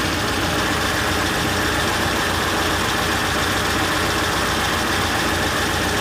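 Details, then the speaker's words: Rover P6 V8 idling after starting despite dodgy starter wiring, oil and water checked: steady, even tickover with smooth low burble, no knocks or misses; owner smells burning plastic; healthy idle. "See? Here we are, she's just ticking over. I'm just going to leave it running here for a few minutes."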